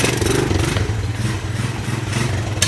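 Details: 1984 Honda ATC200 single-cylinder, running after years of sitting, with no air filter fitted. Lively putter with quick, even firing pulses that pick up smoothly with throttle. Runs cleanly and healthily.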